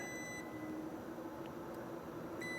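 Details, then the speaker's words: Furnace with an intermittent no-heat fault, inducer motor off: steady continuity beep from the meter over quiet room hum shows the pressure switch closed when it should be open; failed pressure switch, to be replaced. "And we do hear it. So we have a failed pressure switch. Intermittent, the worst kind."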